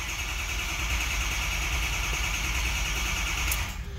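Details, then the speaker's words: 2006 Ford F250 6.0L Powerstroke, crank no start that began when hot: steady starter whir for about 3.5 seconds, never catches; oil present but no oil pressure while cranking, suspected dummy plug rather than high pressure oil pump. "so that'll let you know that you've got got base oil pressure we've got oil in it we don't have uh oil pressure that's why this thing ain't starting"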